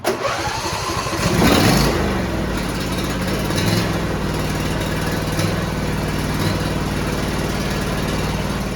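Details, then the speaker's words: John Deere D170 lawn tractor, 25 hp V-twin with twin-barrel carburetor, after Torx bolts threadlocked and fuel line and fuel filter downspout installed: rev then steady even rumble while cutting grass, no surging, sputtering or hunting; fixed. "it is cutting grass beautifully"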